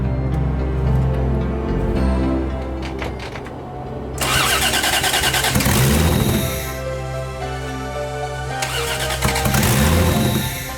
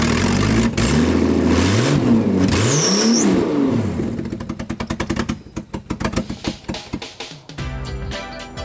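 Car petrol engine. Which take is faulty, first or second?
first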